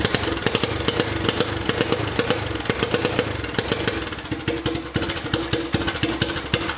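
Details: Homemade turbocharged 660 lawn mower on first test run: uneven single-cylinder popping that falters and drops out, won't hold idle and stalls; cause unknown, afterwards smoke and oil leaking everywhere.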